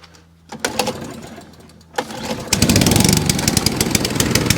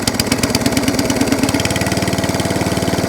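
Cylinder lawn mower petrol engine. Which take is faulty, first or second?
first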